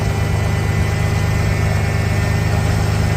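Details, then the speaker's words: 1991 Ford Bronco under restoration, restart after timing work, before retarding to about 6°: steady idle with faint occasional uneven lope; very slight miss returned after seeming gone, cause not found. "now that M might be back just a little bit but yeah just a very slight Miss still"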